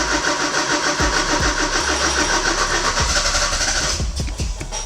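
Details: Porsche 944 cranks about three and a half turns a second, tries to fire but never catches, after fuel pump, strainer and filter replacement; fuses fine, jump box used; ignition seems completely dead, owner plans rewiring push-button.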